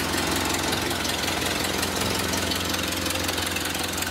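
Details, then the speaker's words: Ford Model A flathead four-cylinder, stored since 1975, just revived and started; splash-lubricated with no oil pressure gauge; even, steady idle with a regular low beat, no misses or knocks; smooth, healthy idle. "put a little temperature in there she's good oh and it's so smooth like every flathead you see"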